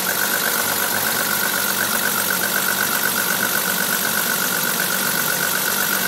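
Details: BMW E30 325i at idle with a blown head gasket: quick, regular ticking puff about four per second with a hissy chuff; compression test showed all 6 cylinders losing pressure equally.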